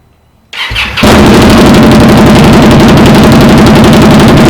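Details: 2020 Indian Scout Bobber twin with newly installed Vance & Hines 3-inch slash cut slip-on exhausts replacing stock: quick crank catches into a loud, even, lumpy idle, steady beat, no misfires or rattles; normal start-up and running.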